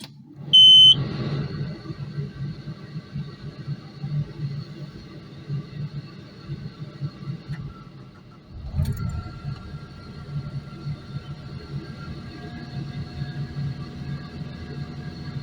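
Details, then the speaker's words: Takeuchi TL12V2 at -30°C; single sharp high beep at key-on, then diesel cranks and settles to steady idle: fault warning still present after key-off reset attempt; code unexplained, cause not confirmed. "and what I was reading most of the error codes on here can be cleared by uh basically just doing a key off we will see"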